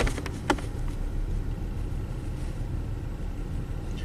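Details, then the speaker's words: 1998 Toyota Camry 1MZ-FE V6, low mileage, previous owners neglected oil changes, flashing check engine light: low idle rumble with an uneven stumbling beat, constant cylinder 4 miss worse in drive; misfire from a burnt exhaust valve. "Just a little slow data refresh here. Yep, there it goes. Constant miss."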